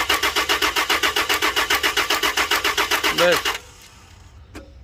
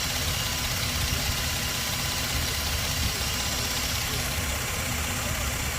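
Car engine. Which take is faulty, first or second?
first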